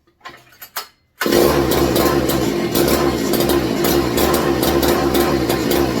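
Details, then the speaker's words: McCulloch MC49 engine, rebuilt, running for the first time in over 40 years on a substituted 090 carburetor, seemed flooded with too much fuel: uneven stumbling buzz; poor running, no throttle response, suspected ignition, possibly the cheap new spark plug. "oh sounds like ignition related that was a cheap plug I got and we're testing everything that is not tied down to the bench"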